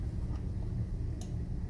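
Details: Hamilton Beach A3221 household iron after its defective constantly-heating T230 250V 10A thermostat was replaced with a modified T250 250V 10A donor thermostat: quiet room, a single crisp click as it is plugged in and heating starts; normal thermostat click.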